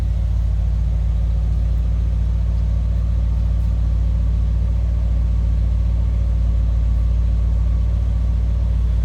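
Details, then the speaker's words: 1956 DeSoto Firedome convertible, fully restored, with a 330 cubic inch Hemi V8, just after a cold start: a deep, steady, even idle rumble with no knocks, misses or ticking; sounds good and runs smooth. "sounds good runs smooth"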